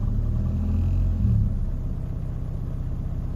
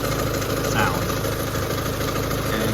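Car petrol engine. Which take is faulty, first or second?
first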